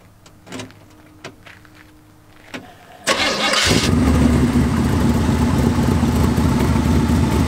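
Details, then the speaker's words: 1927 Ford coupe hot rod with a small-block Chevy V8 (tunnel ram, twin four-barrel carburetors) and automatic transmission: a brief crank, then it catches at once and settles into a deep, steady, even idle with no knocks or misses. Normal, healthy start. "Purrs like a kitten. What a great car collection."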